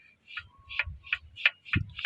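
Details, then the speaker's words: Engine turned over cylinder by cylinder to check ring strength: sharp, slightly squeaky ticks, two or three a second, from one cylinder, judged weak piston rings causing oil burning, blue smoke and oil loss; suspected, not confirmed. "That means your engine is weak. It's likely to produce smoke because it will burn oil."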